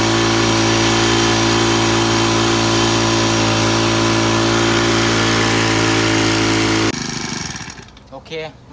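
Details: Small four-stroke sprayer engine after carburetor cleaning, held at high revs with a steady, even buzz and no stumbles or misses; runs clean and healthy.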